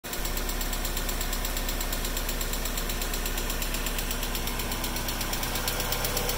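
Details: Mazda Miata that has been sitting: fast light ticking over the idle, about three a second, from hydraulic lifters lacking oil pressure; goes away after a few minutes of driving once pressure rebuilds.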